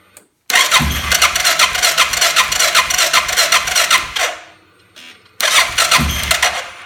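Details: 2005 Suzuki King Quad 700 ATV fitted with an aftermarket Copperhead VDI ECU: starter cranks about four seconds at a steady beat, pauses, cranks again, never catches; ECU maker blames charging system, dash dimming and battery dropping to 8V; stock ECU starts fine.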